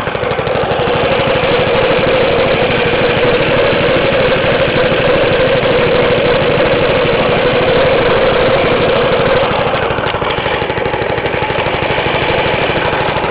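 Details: Half-restored 1954 reel mower: repainted Briggs & Stratton 6S, 1.6hp, non-original shroud, pull start removed, homemade throttle valve; plus 1984 Montgomery Ward B&S 3.5hp TMO-37425A. Steady, even single-cylinder putter at constant speed, no misses, knocks or hunting; normal running.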